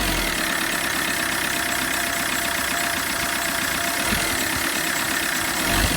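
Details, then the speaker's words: Repaired Combo van diesel at idle after start: a steady clatter with a thin, constant high squeal over it from the known noisy accessory belt. "I know it's got a noisy belt. I'm just going to spray something on there just to quieten that down for a minute."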